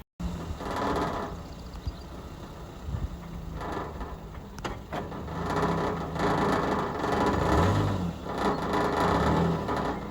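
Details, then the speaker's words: Pontiac at 220,000, revved from inside while viewed underneath: loose tinny rattle about four a second swells with revs; a loose exhaust heat shield is rattling, not a real fault. "this one actually is what's causing that problem makes it sound like the car is blowing up in that but really it's nothing"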